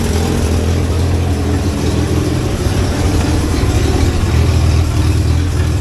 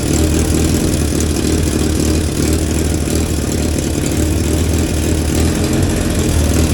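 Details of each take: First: 1963 Hillman Super Minx just started after cooling system and rebuilt fuel pump installation, warming up cold without choke: steady, even low idle holding speed without hunting or stumbling; it runs cleanly. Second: 1963 Hillman Super Minx after fuel pump rebuild and install: steady low idle then abrupt stall, fuel starved because the cap was left tight, creating a vacuum that stopped fuel flow.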